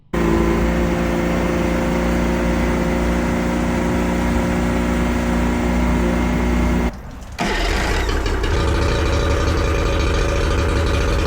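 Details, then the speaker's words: Yamaha 40hp two-stroke outboard that had been cutting out under load, after the cracked fuel lines were replaced: fires and settles into an even, steady run without stumbling. It now revs high and handles load normally. "Everything was back to normal. Engine was healthy, was going in high revs, not had any problems um under big loads, you know, when when when you're cruising. So yeah, everything was back to normal."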